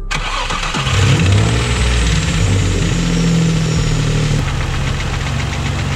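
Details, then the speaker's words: Nissan G35 V6, heavily damaged engine with worn bearings: cranks and settles into a rough idle with a steady deep rod knock about four times a second, unchanged just after adding an anti-knock oil additive. "well i don't think that did anything but it's all right because that is a heavily damaged motor"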